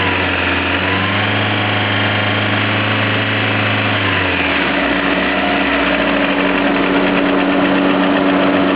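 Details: Lada Priora: rough idle with irregular knock about four per second, faint and partly buried; knocks always, cold and hot, inaudible at higher rpm, no effect on speed or acceleration; cause unclear.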